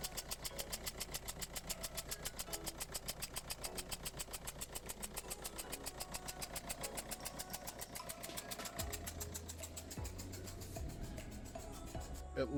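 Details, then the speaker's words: 2009 Ford Focus 1.6 diesel, 156,000 miles, just started: sharp regular ticking, three to four a second, over a rough idle with some misfire. Leaking injector seal letting combustion chuff out; fix is an injector seal kit. "there we go you can hear that injector straight away"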